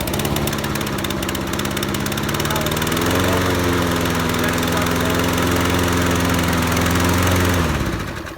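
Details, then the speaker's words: Toro Recycler 20334 lawn mower starts, then the beat sags and labours before dying; engine struggling after start, suspected clogged carburetor or bad gas. "So did you guys hear how it started up but then it kind of started struggling? So if it started struggling, you know, you may have not damaged, but you may have, you know, clogged up your carburetors or something like that."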